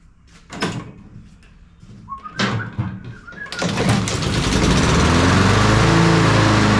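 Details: Honda HRR216 push mower after repairing a valve cover damaged by hitting a log and letting the sealant cure. Fuel turned on, auto choke; a few clunks, then the engine catches and settles into a steady, even beat. Starts and runs normally.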